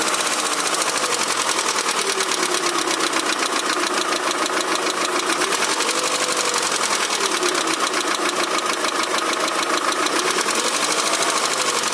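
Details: Daewoo Nexia 16-valve engine knocking both cold and warm: fast, sharp metallic ticking knock throughout at an even idle, crisp from the top end; cause unclear.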